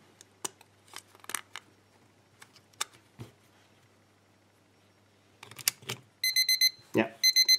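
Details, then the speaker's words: Quartz electromechanical alarm clock with Lavet stepper motor, blocking paper removed from alarm switch: a few handling clicks, then quick bursts of shrill repeating beeps starting and stopping; alarm buzzer working normally. "maybe I can show you I can let you hear how this horrible noise sounds like"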